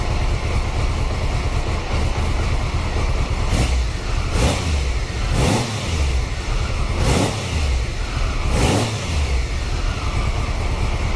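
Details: 1993 Triumph Trophy 900cc triple after upgraded sprag clutch replacement, fresh oil and filters: fires and runs evenly with clean throttle blips, no starter clunk; healthy.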